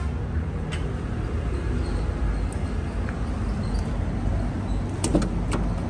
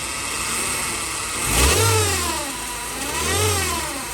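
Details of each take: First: Chevrolet Cruze 1.8 after transmission whine repair, broken pieces found and removed: car runs with a low even rumble and no whine, now quiet; quiet automatic transmission. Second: Chevrolet Cruze 1.8 being revved, a loud jet-like howl rising and falling in pitch from a failing transmission with broken internal parts; the gearbox is wet with oil, the oil level is still full, and the gearbox is to be torn down.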